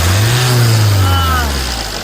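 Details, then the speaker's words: Jeep Compass diesel revved after the vibration noise repair (mounting, diesel filter, ACM and brackets refitted): revs rise cleanly and drop back smoothly, steady low drone, no rattle or vibration; noise fixed, sounds healthy. "हमारा सही हो गया है आवाज आ रहा होगा तो हमारी चाल हो गई है।"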